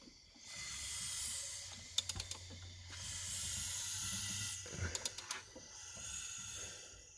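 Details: Tiburon turbo build with stock bottom end and rods, gasket not yet cleaned off: engine turned by hand gives slow surges of airy hiss rising and falling about every two seconds with light clicks, showing normal healthy compression, no bearing play.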